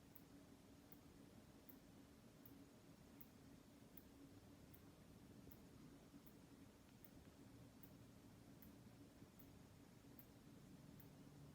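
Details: On-X mechanical aortic valve one month after replacement surgery, phone held near chest: faint crisp ticks about every three-quarters of a second, roughly 78 a minute, over room hiss; valve closing normally.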